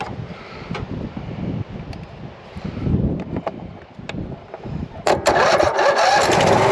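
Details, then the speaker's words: Cub Cadet RZT 42 zero-turn mower on a jump pack: the engine catches about five seconds in and settles into a steady, even idle. A normal start and idle. "fired right up that's working all right"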